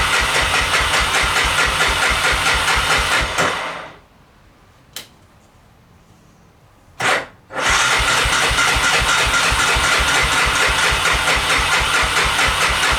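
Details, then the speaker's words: 1988 Honda FourTrax 300 4x4 ATV, sat for years in a shed, old fuel: with choke and fuel on, steady starter cranking, a pause, more cranking, never catches; owner believes fuel is present and plans to check spark. "She don't want to start. I'm pretty sure there's fuel in it. There's fuel in it."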